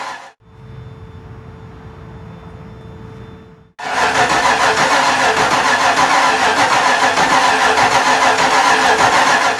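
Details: 5.0-litre V8 swapped Miata, first start with fuel pump on: quiet, then loud cranking burst with even beats never settling into a clean idle; hard starting from distributor timing a tooth off.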